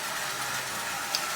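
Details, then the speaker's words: 85-year-old prewar Marx 999 toy locomotive after basic lubrication: an even, buzzy motor hum with no knocks or grinding; it runs perfectly, though replacing the gears would quiet it. "this is in perfect running condition it's old yes it's 85 years old the thing is it's running now you can quiet this down if you want to replace years but uh why spend twenty dollars to fix a ten dollar locomotive anyway as you see it's running perfectly"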